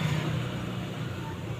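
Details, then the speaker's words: LG 15kg washing machine after drum seizure repair with new 6205 outer bearing, spin test: quiet, steady low hum with no rumble, grinding or knocking; bearings smooth, normal spin. "suaranya udah sip, halus. Udah halus."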